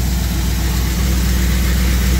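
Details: Steady low, even idle rumble with no stumble or surging after a bad ground at the new external voltage regulator, which had caused 16-18 V charging, was bypassed by grounding to the horn; voltage now normal.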